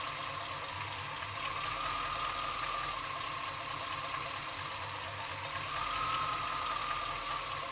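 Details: Chevrolet C-1500 Scottsdale, 350 TBI V8, rough idle under a heavy hiss: an uneven, loping beat; the idle sometimes drops so low that the engine dies, cause not yet found.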